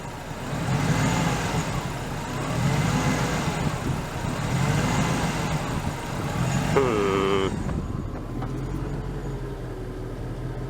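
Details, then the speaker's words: Old Ford Crown Victoria V8: loads up and down at first fire-up, then settles into an even, fairly smooth steady idle without stalling; normal idle. "it kind of loads up and down when it first fires up it did that before but now it seems like it's going to stay running and fairly smooth"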